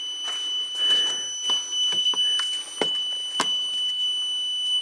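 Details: Jump starter emits repeated high-pitched warning beeps after a 5-second crank attempt (after a reset, reading 16 volts), over a quiet room; the pack is throwing a warning, cause not clear.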